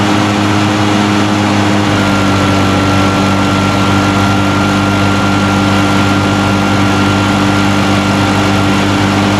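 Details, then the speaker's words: Echo PB-580T backpack blower outdoors after new recoil starter rope, new coil and kill switch fix: starts easily, rises from a drone to a steady high-pitched whine with no misfires; running normally. "right, well that sounds good. I think starts easy, runs good, blows hard."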